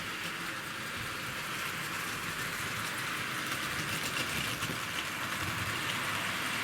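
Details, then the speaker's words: Wrenn W2228 City of Birmingham model locomotive, just recommissioned, pulling a Pullman train on the layout mainline with the controller turned up: only a soft, even hiss and faint wheel patter, no motor growl or grinding; a very quiet, normal runner. "Now isn't that a quiet runner? That's probably one of the quietest Wrenn engines I've got, even quieter than the City of Glasgow. You can just hear the wheels."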